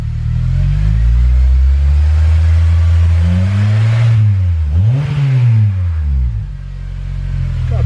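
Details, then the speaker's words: Acura TSX 6-speed manual, K24 VTEC 200 hp, first exhaust sound check with a couple of revs, factory manifold and cat: deep throaty note rising and falling smoothly, no rattles or popping; healthy exhaust, perhaps a bit loud for this car. "decent sound might be a little bit too loud for this kind of car"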